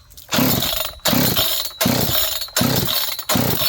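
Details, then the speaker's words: John Deere CS81 chainsaw leaking excess gas, after starting fluid spray, choke off: five sharp rope pulls about a second apart, each a short rasping whirr, never catching; owners suspect it is still flooded. "Apparently not. You got the choke on? No. Okay. She might be flooded still."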